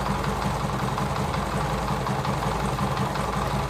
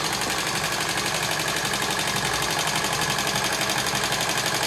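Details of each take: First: TVS XL100 (Super XL 100cc) moped single-cylinder idling after tappet adjustment, heard close up: even, steady beat, no clatter or tapping on top; valve train quiet, engine set perfectly with no problem. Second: TVS XL100 (Super XL 100cc) kick-started, before tappet adjustment: a fast, even ticking rides over the idle and keeps pace with the engine. Noise comes from loose tappet adjusting nut screws under the side head cover.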